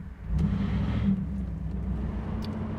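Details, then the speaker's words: 1987 Chevrolet Camaro IROC-Z V8, a low-mile survivor, pulling away in drive. The engine note climbs smoothly, then holds an even rumble with no knocks, rattles, creaks or misfires. Normal acceleration. "It runs so smooth. No creaks, no rattles, anything like that."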